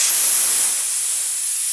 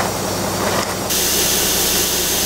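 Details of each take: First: School bus (skoolie) air brake tank drain valve opened: steady sharp hiss of air rushing out, also blowing out any water in tank; normal air tank purge. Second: School bus conversion idling diesel: a loud, steady hiss of escaping air from a valve on top of the air tank, later identified as the leaking pressure protection valve.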